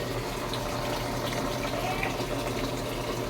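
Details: Samsung automatic washing machine that would not take in water, after repair of the controller board: steady rushing water with a soft pump hum underneath, even and uninterrupted as it fills to the set water level; fill working normally.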